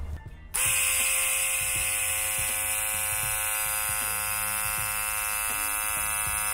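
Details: Electric vacuum pump from a junkyard Volvo, fitted in a G-body Cutlass brake booster setup and fed 12 volts directly with its port capped for a test: a steady high buzzing whine at even pitch with no stutter or grinding. It holds vacuum and runs normally.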